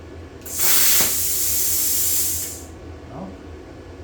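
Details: Vevor Cut 50 plasma cutter (110/220V, 50 amp) on first test, air pressure gauge at about 58–61 PSI: strong steady hiss of air through the torch for about two seconds, even and unbroken; air flow normal.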